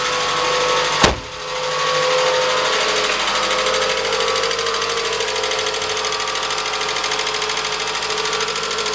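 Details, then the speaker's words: Toyota Camry 2AZ-FE, US-market, about 137,000 miles, cold start: light fast ticking over idle at about three a second; valve tick on cold engine. "Проблема: стучат клапана. Запуск на холодную."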